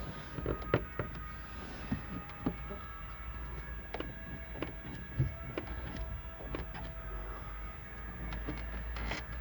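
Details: 2011 Kia Sportage SL sunroof moving: quiet motor drone with irregular sharp creaks and clicks from somewhere at the rear of the sunroof; lubricating didn't help, road noise and cold air get in when closed.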